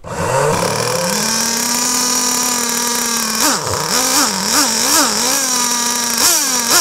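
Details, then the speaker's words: Nitro RC car engine started on a starter box after priming with the exhaust blocked and a charged glow plug igniter fitted: high buzzing whine fires after brief cranking, holds steady, then clean throttle blips; runs fine. "Voilà, c'est comme ça que je démarre au banc."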